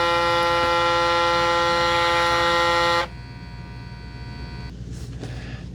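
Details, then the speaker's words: Braun Series 9 PRO+ shaver 6-in-1 cleaning base during automatic self-clean: steady whirring hum cuts out abruptly to a faint quieter hum as the cycle pauses and restarts on its own, as intended. "And this is all automatic. It'll stop on its own. So it kind of stopped for a little bit, then it starts back up again."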